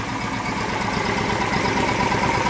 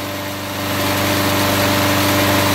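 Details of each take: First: Small engine run after a car-wax crankcase lubrication test, now refilled with a little regular oil; compression very poor, wax suspected hardened in rings and valves. Slow, steady low-speed idle, as low as it goes, even beat, no knock; normal low idle. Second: Warmed-up lawn mower engine with the oil drained and old car wax in the crankcase, run near regular mower speed for a 10-minute test: a steady, slightly rough beat, very hot exhaust; the wax hardened.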